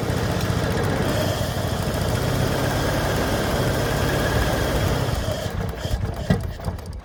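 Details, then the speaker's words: 1986 Toyota Supra, with gas squirted into the intake: the engine catches and runs ragged for about five seconds, then dies; it won't keep running. Owner suspects a dead fuel pump. "All right, she seems to start running pretty good. Well, not good, but I bet the fuel pump's out."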